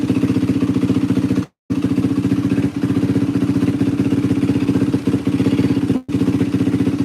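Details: 2004 Yamaha WR450F single after carburettor rebuild kit, pilot mixture screw 2 turns out: crisp, even thump at steady idle, about four beats a second, no hunting or popping; runs great, float may need readjusting if it leaks. Normal idle.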